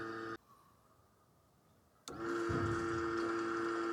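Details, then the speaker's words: Nissan S15 Silvia, new Raceworks surge tank with Aeroflow 525 and 255 lph pumps, engine off, pump powered manually to prime: steady whir with an even trickle as fuel returns from the surge tank. Normal fuel return. "can actually hear fuel returning from the searching so that's really good really good to hear that"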